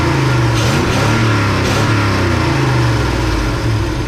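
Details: 1971 Chevy C10 small-block V8 after in-truck cam, lifters, timing chain, 4-barrel intake, distributor, ignition, timing and valve set: steady deep even rumble holding revs with no knocks or ticks, healthy though smoking a little.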